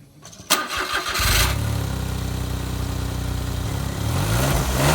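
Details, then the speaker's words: Smart car on its stock exhaust (huge muffler with built-in catalytic converter), before a custom exhaust: starter catches and the engine fires cleanly, then settles into a steady, even, muffled low idle with no knocks or misses. "so there you have it um it's not crash hot but i'm sure i can make it sound a bit better than that"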